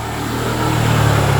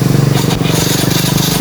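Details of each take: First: Yamaha Mio i 125 scooter idles with a steady low hum that firms up slightly, even and healthy, after fixing a no-start traced to a faulty spark plug cap and cleaning the throttle body. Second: Yamaha Mio i 125 scooter cranking in a fast, even rhythm without firing; engine won't start, traced to a cracked spark plug cap stopping the spark.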